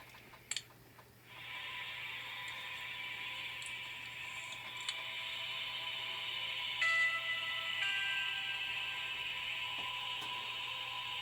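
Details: Centralized house humidifier, outside temperature -12: quiet low hum and even whir from the turning drum, with a light click as the fill solenoid valve opens at low water level, regulated by a magnetic float switch; normal operation.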